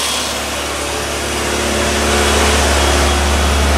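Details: 60-year-old Triumph TR3A just out of storage, on light choke warming up from cold, started on the first crank: a steady, even idle with a smooth low beat and no knocks or misses. It has oil pressure and survived storage; a normal idle.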